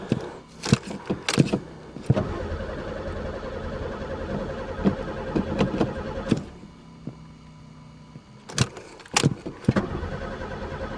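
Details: Pontiac car unstarted for three years, throttle sticky: starter spins the engine steadily for several seconds with no catch or firing; cranks but won't start, owner suspects no spark, chewed wires or broken fuel lines.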